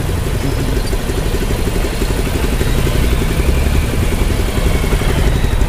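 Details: Hero Impulse single-cylinder motorcycle after full service; steady even idle with soft mechanical whir, no tappet ticking or chain rattle; normal idle.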